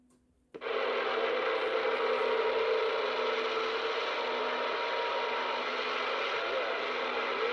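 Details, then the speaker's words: Uniden PRO 500d CB radio, restored after replacing all electrolytic capacitors and unused for years, powered on from a power supply: a click, then steady even receive hiss with faint tones; on frequency, apparently Channel 19, working normally. "well that's the sound I was hoping for so the radio is on frequency and sounds like Channel 19"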